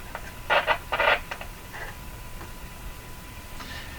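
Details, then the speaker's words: RCA Victor Model 911KG radio during AM alignment, tuned near 1500: faint steady hiss under short tuning chirps; on a weak signal the front end raises sensitivity automatically, bringing background noise forward. "When the uh radio is receiving a a low signal and you can hear the background noise that means the front end has cranked up its sensitivity. The volume is turned up basically on the radio automatically."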